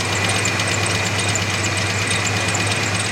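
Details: 1987 Chevy S10, fresh oil and filter after the engine ran with antifreeze in it: steady idle with an uneven ticking about three per second. Owner thinks it's getting slightly better; otherwise runs strong but needs a fuel filter.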